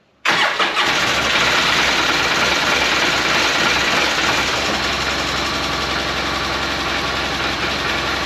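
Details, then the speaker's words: 2012 Polaris Ranger 800 six-seater, revived with new parts, first start after battery hooked up and fuel added. Catches after a brief crank and settles into a steady, even idle with no knocks or misses; normal start and idle. "Holy crap, does that sound good. Go open the garage over there."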